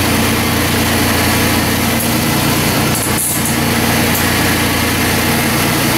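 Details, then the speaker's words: 2005 Chrysler Pacifica after A/C condenser replacement, oil topped to the 7 oz mark, 1.81 lb refrigerant charge and cooling fan temporarily plugged in: loud, even engine idle with a steady hum and whir as the compressor kicks on, no knocking or grinding. Normal A/C compressor operation. "I see the compressor kicks on"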